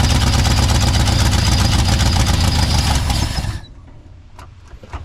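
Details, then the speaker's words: 1959 Ford F-600, 292 Y-block, suspected vacuum leak: engine runs loud and rough about three and a half seconds then abruptly dies, won't hold idle; owner suspects fuel starvation, pump possibly run dry. "doesn't want to idle for much okay I'm going to try to just bottle feed it for a little bit"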